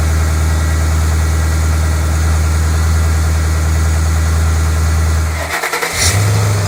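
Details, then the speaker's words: 2008 Ford Mustang GT V8, first cold start right after an oil change from 6,000-mile oil to 6 quarts of synthetic: a steady, even low rumble at a smooth cold idle. Brief initial noise is expected while the oil circulates; healthy. "now understand that the first second or two that it runs it has to move the oil around so it will likely make a little bit of noise but it'll quiet out"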